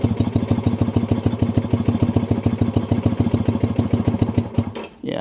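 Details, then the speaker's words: 1965 Honda CB160 161cc parallel twin with cut exhaust pipes: uneven, lumpy idle of about three pulses a second that falters and stalls when throttle is opened; the owner suspects it is running rich or fuel-starved and feels it is almost on one cylinder. "See, give it a little gas and it stalls. So, it might be running a little rich if anything or it's not getting enough gas."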